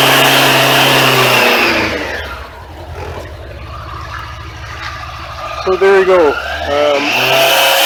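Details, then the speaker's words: Suzuki Katana motorcycle with Ballistic battery, third winter parked without charging, first start in March: engine catches, revs a few times, then settles to a steady, even idle to warm up; normal idle after cold start. "the bike started up so I'm just going to sit the camera down for now and I'll let the bike idle and warm up"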